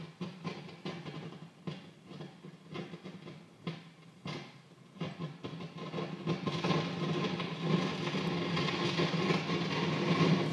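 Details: Modded Marshall JVM amps, on standby after warm-up: irregular crackles and pops building into louder constant crackling; absent over headphones and with the V5 preamp tube pulled, so owner suspects the preamp section.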